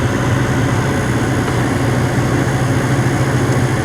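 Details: Commercial ice machine, possibly Ice-O-Matic (tech unsure), reported as not dropping ice. A reading of about 7.5 A is judged good, and the motor reads 1.9 A against an expected 3 A. Steady, even low hum, no knocking or cycling: normal compressor operation.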